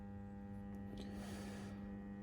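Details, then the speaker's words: Three stall-type model railway point motors on a DC layout buzz and hum steadily while powered up; an isolator switch on the motor feed is planned. "This one is they are actually quite noisy when they're powered up. That's the buzzing you can hear. That's only from 3 point motors here."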